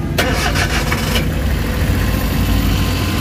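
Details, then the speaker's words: Suzuki DA64W turbo, after camshaft sensor replacement and battery-disconnect reset, fixing a high, erratic idle: a brief crank catches quickly into a smooth, quiet idle with no hunting. The RPM gauge now reads about 1,300–1,400 and no dashboard light blinks. "kita nyo yung andar, tahimik na. Tahimik na siya guys. Okay na yung tira natin."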